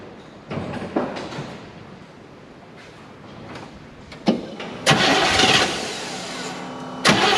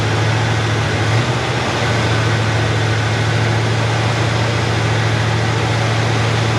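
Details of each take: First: Chevy Nova Super Sport with a replacement distributor, vacuum gauge on and ports plugged; timing may need readjusting. Short, uneven cranking bursts cut out and restart while the engine barely catches. Sticking starter causes the hard start; owner goes to smack the starter. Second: Chevrolet Nova Super Sport V8 idling after the distributor was replaced with a vacuum-advance unit; choke needs adjusting, good vacuum. Deep, even rumble at steady idle with no misses, stumbles or knocks: normal healthy idle.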